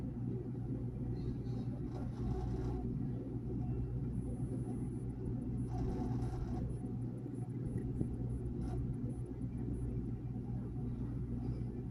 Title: Ge Dishwasher making Noise #dryerrepair #quickdrying #gewasher #fridge #thermador #lgwasher